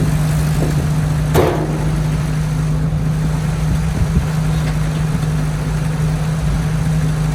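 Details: 1967 Jeep CJ5 old four-cylinder with manual transmission, off the road 23 years, first start after revival: steady fast idle with no dip or hunt; idle set too high, janky exhaust noted.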